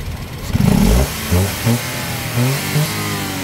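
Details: Toyota Wigo after fixing a P0203 injector #3 misfire (suspected injector wiring or ignition coil): several quick throttle blips rise and fall cleanly with no stumble, popping or misses; engine revs smoothly.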